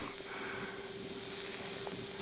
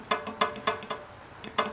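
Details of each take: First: Steady torch hiss and sizzle with light taps as each carbide tip is brazed onto a steel saw-blade seat; the steel is heated first (red, not orange), the solder flows and the tooth is tapped into place. Normal brazing. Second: Steel saw blade plate tapped while sitting on four even shims: sharp metallic taps that ring out, with a dull clunk on one side; warped plate, demonstrated with tape mimicking the warp.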